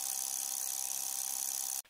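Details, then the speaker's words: Glow Worm Ultimate boiler PCB (part 202267): thin, fast buzzing chatter as a relay rapidly opens and closes, then cuts off; fixed by replacing the five aluminium electrolytic capacitors on the board. "It sounds like the relay inside is constantly opening and closing and it is making chattering"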